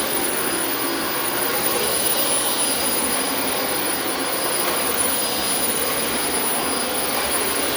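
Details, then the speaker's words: Refurbished Dyson vacuum running on carpet: a steady, even high rush with no pitch wander, rattles or surging; motor and brush bar run smoothly. "And how about that for a nice refurbishment, folks? Listen to how nice that sounded and did for us on the carpet here."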